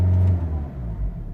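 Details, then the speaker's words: 2005 Land Rover Freelander TD4 in limp mode, P1260 fuel pressure control fault, in neutral at full throttle: deep diesel rumble rises briefly then sags and caps, no boost; bad fuel pump. "I put into neutral and if I put the throttle full throttle Serena's full-throttle grab look full throttle stops there and"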